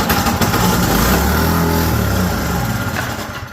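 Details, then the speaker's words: Snowblower engine that only runs on choke, after starting fluid and a new spark plug: catches, runs unevenly with speed surging and sagging, then stalls; carburetor clogged, to be removed and soaked. "there we go well as yall can tell it doesn't want to keep running so I'm actually going to pop the carburetor off and let it soak in some gas"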